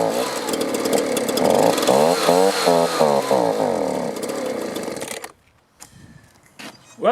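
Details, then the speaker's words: Two-stroke leaf blower stored over winter on gas at least a year old, primer bulb working: wavers and surges about five seconds then dies. Runs on choke but bogs and quits off choke; fuel starvation. "can see i can get it started it'll run with the choke on but then when i turn it to run it bogs down and will quit running what that tells me is it's not getting the fuel it needs"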